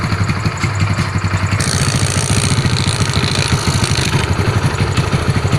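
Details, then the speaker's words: Yamaha Mio carbureted scooter after a new piston, camshaft and timing parts, with valve clearance set: even, low, steady putter at idle with no clatter or knocking; engine smooth again after repair. "dan coba kita hidupkan lagi nih suara sudah halus lagi"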